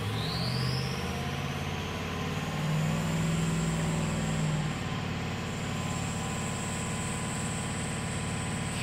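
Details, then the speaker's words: 2003 Ford F350 6.0 diesel, revved to hurry failure: rough uneven running under rising turbo whistle as cylinders 1, 3, 5 and 7 drop out; combustion gas in fuel from failing injector sealing washers. "remember now when fums do this they usually take out two per side"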